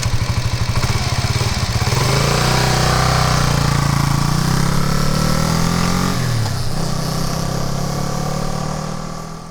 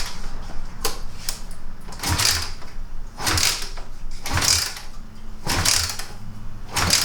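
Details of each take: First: Kawasaki KLR250 dual-sport single-cylinder, formerly hard to start: fires on one kick, quick even beat, revs cleanly and pulls away smoothly, fading into the distance; runs healthy. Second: Kawasaki KLR250 that rarely starts, kicked cold with gas on and choke on; dull thump and clatter about once a second, never fires — cold-start no-start, no spark or no fuel suspected.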